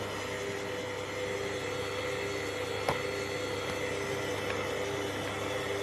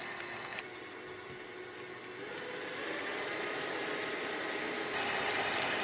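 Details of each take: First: Kenwood kMix 500 W stand mixer with K-beater and an overfilled 5-litre bowl; steady mid-pitched whine over a low hum as the motor labours; motor strain from overload. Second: Kenwood kMix 500 W stand mixer with K-beater at gentle speed; even motor hum and smooth whirr that swells slightly as it works the mix, no strain or grinding; normal running.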